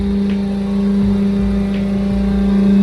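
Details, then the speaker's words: Washing machine running its spin cycle: loud steady droning hum with low rumble from the drum, noisy when spinning and drying clothes, from a dry drum shaft bushing. "a encender nuestra lavadora para que ustedes vean cómo suena de feo y vamos a repararla."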